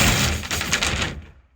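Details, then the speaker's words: Roller garage door that had come off its drum, lowered after a 3D-printed part repair: one sharp crashing bang fading within a second, owner thinks laths sorting themselves out; unconfirmed. "Oh my goodness. What was that noise?"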